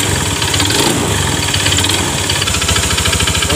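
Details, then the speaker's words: Honda BeAT FI scooter idling, rough with a hard even knock locked to engine speed over a hissy background; mechanic unsure whether engine or CVT, says it resembles a loose piston. "Saya belum tahu pasti suaranya agak melotok ya oke sekarang biar lebih jelasnya kita nyalain dulu ya motornya"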